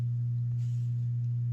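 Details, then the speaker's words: Two guitar/bass amplifiers both earthed, one on an inverter and one on utility power, linked through a Rickenbacker 4003 in Rick-O-Sound stereo: loud constant low hum; ground loop through the shared earth. "the two amplifiers together because of the Earth the shared Earth ground this is if you were if you had a circuit that had a lot of other things going on uh like you had the PA system there's it's gonna this is going to get this sounds gonna get progressively worse"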